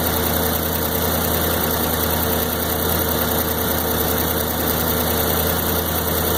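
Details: 1993 Corvette LT1, 42,000 miles: idle with uneven, slightly lumpy beat, no clear knock; stutters around town, runs fine under load; part swap didn't change it, cause unknown.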